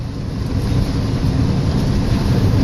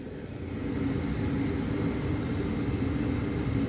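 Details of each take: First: the inducer motor is an eighty-percent furnace the inducer motor wiill is way out of balance Second: 80% furnace after a new inducer motor was fitted, replacing one badly out of balance with part of its blower wheel missing: a steady, even motor hum with low rumble, no rattle or knocking.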